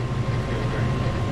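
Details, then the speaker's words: Furnace after replacing the worn, frozen draft inducer motor with a new one: steady low hum with even rushing blower airflow, no rattles or squeal, cycle completes with heat at the vents; normal furnace operation. "This is the new one. As you can see, it went through the cycle and we had heat. Everything's working perfectly thus far."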